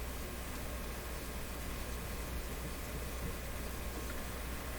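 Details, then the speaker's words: Nordmende Boheme C tube radio after capacitor replacements: steady hiss and low rumble with no station coming through; reception weakening, formerly strong FM station lost; weak noisy reception, fault untraced. "well this would qualify as not good since i'm getting weaker as i go"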